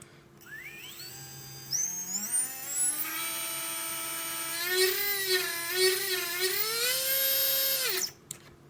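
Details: Readytosky 1804 drone motor vibration test after calibration: a high whine that climbs on spin-up, then wavers and warbles at full speed before cutting off. Bad bearings causing strong vibration.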